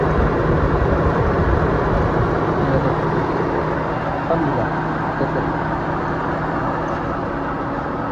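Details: Proton Wira after DIY aircon belt replacement and retensioning: smooth, steady idle hum with aircon on, no belt squeal or slap; sounds normal.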